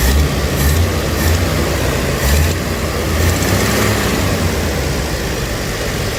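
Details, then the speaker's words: 1982 Ford Granada, choke slow to open, now at low idle; low, steady rumble with no knocks, misses or hunting; runs good, though the choke seems not to work and a fuel filter fitting leaks. "Choke sure is taking its sweet time. Alright, I need to give this a couple minutes. Alright, so we're at low idle now."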